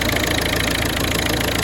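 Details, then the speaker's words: 2011 Citroen C3 1.4 HDi diesel after fuel filter change, running about 5 minutes: steady even idle clatter with regular firing, no misses or knocks; smooth running, no leaks. "The engine's running. It's been running for 5 minutes now. And there's no leaks whatsoever."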